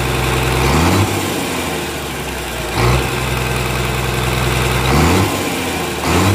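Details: Komatsu S6D125 diesel test run after general overhaul (crankshaft, liners, pistons, conrods, bearings renewed; turbo, pump, nozzles serviced): deep, even idle with smooth revs up and down every few seconds, no knocks or misses; healthy.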